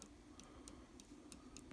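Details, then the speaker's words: RC car steering servo, unpowered, rocked back and forth by hand: sharp irregular clicks, about three per second, from worn gears with excessive backlash, measured on a dial indicator at about 2 one way and 7-8 the other. "This you can definitely feel and hear it."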